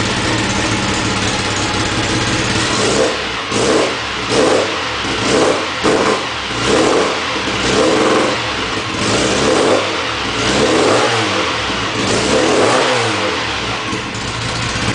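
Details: Tuned Mini 1380 engine on its first startup after a complete rebuild: crisp throttle blips about once a second climb and return cleanly to a settled idle. It runs and revs normally and sounds healthy.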